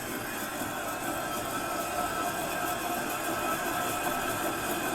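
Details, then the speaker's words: 2018 Ford F350 hub spun fast by hand: steady, rough metallic rumble and grind from a worn wheel bearing, with no play in the bearing yet. "2018 Ford F350 listen how worn out well bearing sounds"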